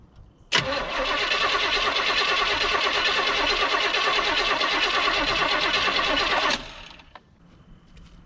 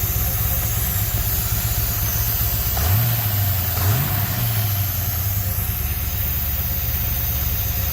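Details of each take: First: 1972 Chevy C10 crate 350 V8 that had sat for 8+ years, rear tires off the ground, gas poured in. Steady cranking at about three turns a second for six seconds with no firing; cranks but no start from no spark, and the ignition coil was found bad. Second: 1972 Chevy C10 crate 350 V8 that had sat for 8+ years, first run with a new coil. Steady idle with a slight cam lope and quick throttle blips; no knocking, no smoke and quiet lifters, a healthy normal idle with a mild cam.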